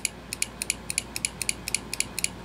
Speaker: now to test the last part of the relay I took off the power and ground from the harness so here I have power and ground onto the 85 and 86 and as soon as I touch it you can hear it clicking